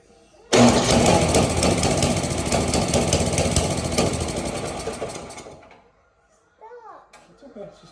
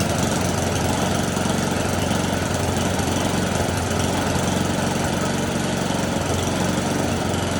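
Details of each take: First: Snowblower with no-start, new spark plug fitted and makeshift key: engine catches, runs ragged about five seconds then stalls; suspected gelled fuel in the carburetor bowl, so the bowl is being pulled. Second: Snowblower small single-cylinder engine, choke off: holds a steady, even chug without surging or stumbling; normal running.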